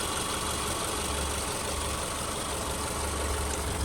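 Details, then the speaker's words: 2010 Subaru Forester AWD, one owner, 83,000 miles, mic hovering over the engine: a low, steady, even idle hum with no knocks, ticks or misses, idling smoothly. "just going to hover right here over the top here so you can listen to it at idle"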